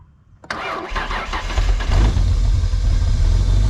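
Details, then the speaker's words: 1998 Ford Explorer derby trailer-race rig, long sat in the yard, cold start on a third battery: short crank, catches and rises into a steady even low idle with no knocks or misses; sounds good, normal cold start. "There we go. Good as new. Ignore the fact that it has sat in this part of the yard so long that a tree is growing up through the engine. Sounds good though."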